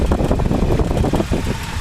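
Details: 1949 Dodge with fluid drive, 6V electrics and manual choke, original never-rebuilt engine; low, even quiet idle hum with gentle steady beat, no knocks or ticks; normal idle.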